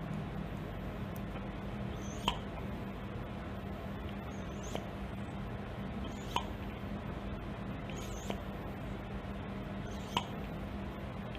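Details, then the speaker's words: Pneumatic cylinder with cushioning, which has an adjusting screw that sets the cushioning level by controlling airflow; soft, muted knocks every two seconds or so over a quiet air hiss, each stroke ending gently and evenly. "Berbeza berbanding silinder yang ini. Silinder yang ini mempunyai cushioning."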